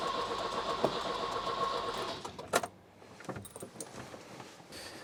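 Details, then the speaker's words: Volvo 240 that had run from a remote fuel bottle in the engine bay, now refitted, cranks steadily on a booster pack with a little choke but never fires; owner suspects not enough spark; crank no-start. "Oh, good grief, she just don't want to go, does she? Right, maybe we don't have enough spark."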